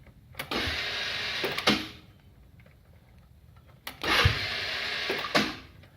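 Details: Hammerhead Twister 150cc GY6 go-kart, new battery, spark plug and starter, fuel present, sat over winter: two key attempts give a high buzzing whir or grind for about a second, firing zero to two times, engine not cranking; starter clutch slipping.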